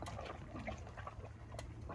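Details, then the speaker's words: 1969 Buick Skylark project car, engine warm: low gurgling, irregular bubbling and soft chugging of coolant, baked-on seeping oil burning off; owner worried something may pop off; coolant bubbling. "it just kind of chugging and bubbling three years warm though"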